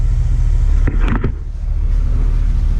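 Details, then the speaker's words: 1969 GMC C10 shortbox with a 350 V8 and reportedly a small RV cam, after long storage, at cold idle: deep, steady rumble with even pulses and no knocks or ticks; good oil pressure, runs healthy. "So I'll set the tripod up, give it a start, let you hear what it sounds like. Make sure you're straight. Doesn't sound too bad."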